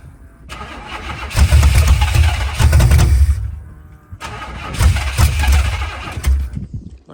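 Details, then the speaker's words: Monte Carlo SS G-body, after gas was added to the tank, gives two short cranking bursts in which the starter spins steadily but the engine never fires; a hard start, with flooding or a fuel pump or carb issue suspected, not confirmed. "i'm flooding that bit probably the filter got gas in it"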